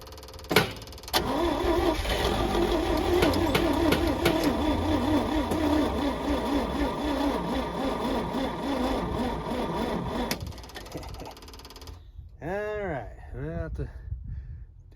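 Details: Old Champ forklift, unknown year, sat for years; fuel reaching it, battery on charger, engine churns over at a steady cranking rhythm for ten seconds without catching, then stops; owner suspects choke or Murphy switch.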